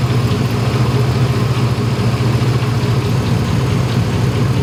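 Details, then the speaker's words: Truck at idle after cutting the belt of the failing, grinding AC compressor: a steady low rumble with no howl or whine, much quieter than before, though some faint knocks are now audible. The howl was traced to the AC compressor; normal idle. "It's much quieter, like by a lot."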